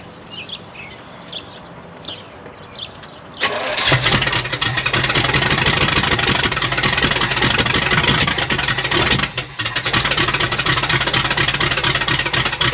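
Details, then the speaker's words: 1972 Oldsmobile 98 V8 after distributor advance was added. Quiet, then it catches into a loud, slightly uneven run with a lumpy beat; much better than before but still rough, cause not confirmed. "it sounds way better than it did before though doesn't it it's definitely firing on all eight and in the right order so I think I put a little bit too"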